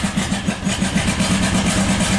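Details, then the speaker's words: 1997 Buick Century 3.1 V6 at full throttle with the oil light on: lumpy, uneven chuffing with only an occasional cylinder firing, running on about one cylinder. Severe misfire. "this is the worst running engine I've ever seen in my life"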